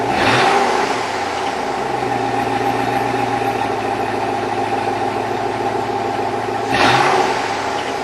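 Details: 2002 Chevrolet Avalanche with Vortec 5.3 V8: on a cold start the engine is blipped twice and a hollow, rhythmic knock runs under the idle between revs, which is piston slap evident when cold.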